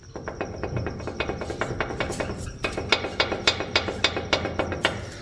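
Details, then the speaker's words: Chevrolet Colorado ball joint worked by hand: sharp dry clicks and creaks about three or four a second; worn, damaged ball joint to be replaced. "Vamos a escuchar. Así suena una rótula dañada."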